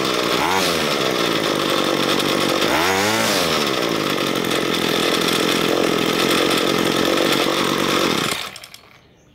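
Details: Ryobi ES30 two-stroke string trimmer after carburetor cleaning, main fuel screw enriched another half turn from two turns out after slow throttle response: revs up and holds clean steady high buzz without bogging or surging, then shuts off; mixture sounds right.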